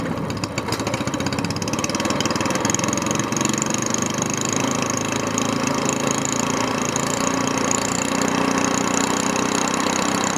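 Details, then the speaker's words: SPS Longtail mud motor idling while still cold, just after an oil change to Royal Purple 10W30 synthetic with BestLine engine additive: a quick, even putter with steady exhaust pulses and no knocks. A clean, healthy cold idle. "all right let's give it a run want to hear it it's still cold [Music]"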